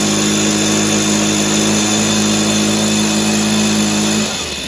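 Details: Echo PB265 ESLT backpack blower two-stroke after new crank bearings fitted, first start in a long time: steady, even high-pitched buzz with no rattle or grind, then revs drop away; much quieter than before, carb better.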